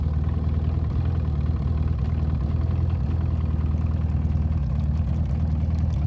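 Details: Evinrude E-TEC outboard at idle: deep idle that lopes and stumbles unevenly instead of holding a smooth beat; rough idle, cause not pinned down.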